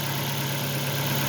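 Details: 2006 Ford Focus with earlier shaking and hard starting, after new plug cables and coil pack, misfire code cleared: smooth, even low idle hum with no misses or shake, running healthy.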